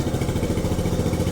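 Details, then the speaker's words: 1967 Honda CT-90, about 2,700 miles, slow oil leak, idling with headlights on: low, even, evenly spaced thumping from the small single, no stumbles or knocks; healthy idle before the test ride. "purring like a kitten. That is crazy."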